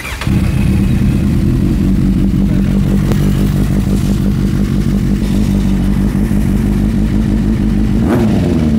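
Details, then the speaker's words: Kawasaki Z800 motorcycle in for an oil pressure warning lamp, test start: the oil lamp should go out within 3 seconds; even, strong idle with a clean rev blip near the end, no odd clatter or knock, normal running. "Ingat eh dalam masa 3 saat lampu minyak hitam ni dia kena padam dan kita minta-minta tak adalah bunyi pelik-pelik yang keluar daripada enjin motosikal ni."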